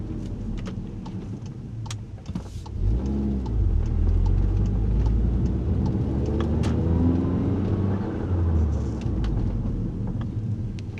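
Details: VW Mk7 Golf R at about 10,000 miles: irregular creaks and clicks at low speed, louder on warmer days; dealer found front strut spring perches rubbing the springs, fixed by lubricating the rubber bushing between spring and strut.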